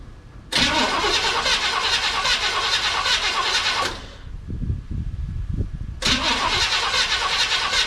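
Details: 1970 Chevy C10 with a 305 small-block V8, first start after replacing a bent pushrod and fitting new valve cover gaskets to cure a lifter tap or ticking noise. Cranks, catches, then runs smoothly with no ticking, good oil pressure, and firing on all cylinders; normal running.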